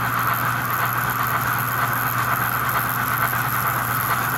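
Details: 65-year-old American Flyer toy train locomotive on a new low-speed controller with a reed switch for 4 chuffs per revolution, synchronized smoke and a sound board: fast, even chuffing with a steady beat over the motor hum, no stumbles; normal cadence.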